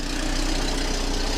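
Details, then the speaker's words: 1997 Volvo 480 at idle, heard from underneath after fuel pipework work; low even chuffing with each firing beat as exhaust gas blows from a leaking exhaust pipe junction, with a rattle also noted; exhaust leak. "That is quite a blow from that junction there. That's a shame. I'm getting quite a lot of exhaust gas coming out through"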